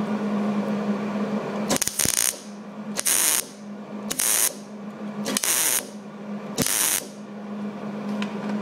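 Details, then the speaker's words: MIG welding thin sheet (treated as 19 gauge, 0.030 wire, 25/75 gas) for flange vs butt joints: short even crackling sizzle like bacon roughly every second, little popping; welder set right, normal weld sound. "All right, not much popping. It was nice and sizzling pretty good."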